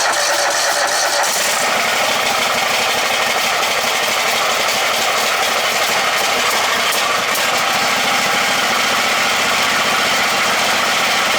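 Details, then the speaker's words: Poulan Pro with rigged-up ignition wiring, first run attempt: after a little cranking it catches and settles into an even, steady idle with no misses; a good runner. "so looks like we got a good runner see idle's nice"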